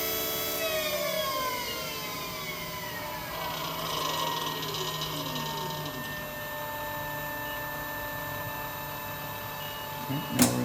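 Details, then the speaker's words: Electric go-kart QS motor during Fardriver controller autolearn, beeping to confirm: whine sweeps up then falls as it spins one way, stops and reverses; normal learning run. "I'm gonna go ahead and enter Auto learn you'll notice that auto learner pops up right there now it's beeping saying we're doing Auto learn"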